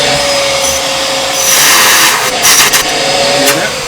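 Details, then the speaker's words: Bissell CleanView upright vacuum model 3536 after belt replacement, wand removed from its holder with the mic close by: steady high rushing airflow with a constant motor whine and surges as the hose moves; good suction and airflow, normal. "Okay, so we've got good suction. We've got some good airflow. And that works."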